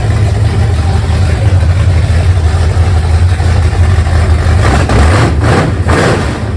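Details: 1971 Mercury Comet V8 on first start after rebuild and reinstall with new water pump and headers, open headers, oil pressure about 58-60 psi: revs then settles into steady deep even idle with no knocks or rattles; normal idle.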